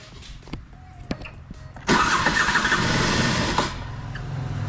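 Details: Piaggio Skipper 150cc scooter, carbureted, hard to start; catches with a harsh, loud roar then a rough, uneven idle from a scuffed, seized piston.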